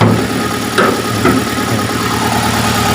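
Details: Chery QQ 311 petrol engine at idle: loud, busy idle with an uneven, lumpy beat and an occasional stumble; engine misfire.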